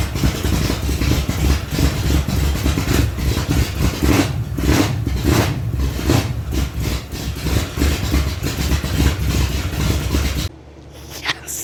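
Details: 1975 Datsun 280Z, swapped 358 small-block Chevy V8 on Megasquirt 3X, first start in over 4 years after wiring fixes: deep, loud, slightly lumpy idle with heavy exhaust rumble, running on its own; normal idle.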